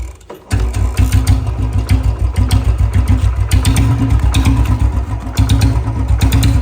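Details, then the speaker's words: Royal Enfield Bullet Standard 350 after the exhaust sound leakage at the pipe was fixed: the single fires straight up and settles into an even, steady thump of about seven beats a second, with no puffing or ticking; normal idle. "देखो भाई पूरी आवाज जो pack निकल रही थी पूरी ठीक हो गई"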